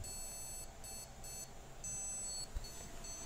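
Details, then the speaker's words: PC that keeps switching off and on, RAM already swapped for new and used sticks: repeated high electronic beeps in bursts over a quiet fan hum, the memory-not-detected beep code; the fault is traced to a corroded motherboard needing replacement. "nah ini terdengar suara beep yang menandakan bahwa si mesin ini tidak bisa mengenali atau bisa mendeteksi tidak bisa mendeteksi adanya memori RAM"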